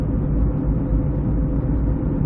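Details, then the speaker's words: 2006 Ford Escape Hybrid, recently aligned: a deep, steady front hum under braking only slows with speed and doesn't go away, but it changes when turning; the owner suspects a bad wheel bearing. "it just slows down but it's not changing it's really not going away it's still there just"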